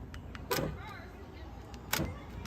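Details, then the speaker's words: 2011–2019 Dodge Journey liftgate lock actuator, repaired and powered for a test before reassembly to check nothing is seized: two crisp motor clunks; the actuator works normally. "Before I put it totally back together, I'm going to plug in this power to the actuator, and I'm going to make sure it still moves. I want to make sure that there's nothing seized up in the actual lock itself."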